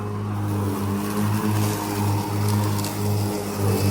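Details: Ryobi ZR3 80-volt 42-inch brushless zero-turn mower in high (non-eco) mode cutting tall, wet grass up to hip height: strong, even electric hum with steady blade whir; normal cutting, though blades later bog and clog.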